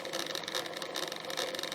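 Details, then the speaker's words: Aristone tabletop radiogram turntable, first power-up on a variac at 170 V after idler service: loud, constant whirring rasp with a wavering edge as the platter spins; motor and idler drive run noisily, planned fix is cleaning and re-oiling the idler shaft and checking the motor. "Oh yeah. Noisy bugger. But that's cool. It works."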